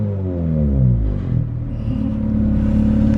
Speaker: don't sound too bad i don't think like i said he was just looking for a shell he doesn't care about the motor so really he could sell the swap out of this thing because it runs really good